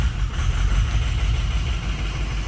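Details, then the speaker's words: Ford 6.0 Powerstroke diesel just started after replacing an injector: uneven, lumpy low idle rumble, rough at first then settling; slight haze remains. "oh yeah started off a little rough but now I think we're okay"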